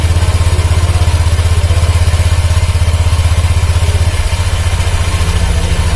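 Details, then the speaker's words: 2019 Honda Vario 150 CVT making rough noise when pushed and when the engine runs: idling with an uneven rumbling clatter about four times a second from the belt-drive side. Worn rear CVT pulley bearing. "Terus kalau mesin kita hidupkan Hai suara mesin jadi kasar tewas ya lah ini ciri-ciri dari klaker puli belakang ya"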